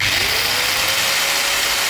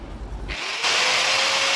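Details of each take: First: Hand angle grinder with a dry gearbox, before servicing: a loud, harsh grinding hiss and knocking over a steady high whine that sags slightly as it slows; the gears need cleaning and fresh grease. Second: Angle grinder, after servicing (cleaning, gear greasing, tightened bolts) to cure a loud knocking gear-grinding noise, spins up to a steady high whine with a clean even tone, no grinding or rattle; normal running.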